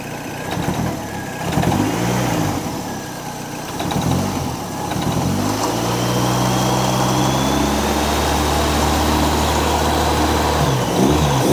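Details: Hot rod Model A coupe, long stored, tired engine with low oil pressure (about 20), loose alternator belt and loose motor mount: engine revs up and settles with a light rattle right as throttle is released; cause unclear, loose mount suspected.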